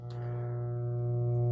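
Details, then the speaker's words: An N64 feeding an industrial RF modulator under repair gives a steady, low, rhythmless buzz at one pitch: mains hum getting into the modulator's audio. "let's put the video in turn the N64 on I can hear the hum coming over the"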